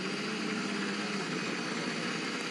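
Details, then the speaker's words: WRC rally car at Power Stage stop line, Rally Latvia: rough uneven idle with harsh knocking clatter, seemingly not on all cylinders; bottom-end failure suspected, started after about 1 km, engine finished. "Yeah, you can hear in the background there was a horrible knocking noise. That sounded very bottom-endy to me, PK."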